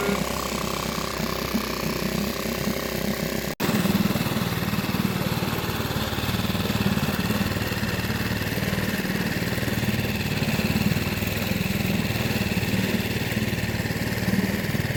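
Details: Nissan 6hp 4-stroke outboard idling roughly with a loose, irregular beat. Cam decompression device was welded closed after repeated rebuilds. It starts easily on choke but won't run without it. Dirt growing inside is suspected, not confirmed.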